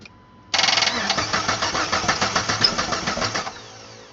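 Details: 2006 Jeep Wrangler TJ (manual) that sputtered and died, no start for over a month despite new camshaft and crankshaft parts, computer and battery. Steady starter churning never fires, cranked with the ASD relay removed. Owner suspects the ASD relay is blocking fuel or spark.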